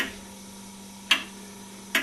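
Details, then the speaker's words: Homemade aluminium-alloy pendulum clock (clock #3), epoxy-glued, just set on a table: sharp crisp ticks roughly once a second over faint hum, ticking even; clock runs normally. "so that is clock number three as you can see it looks quite nice de angry look at it it's nice and you can hear by the thicking it's quite even"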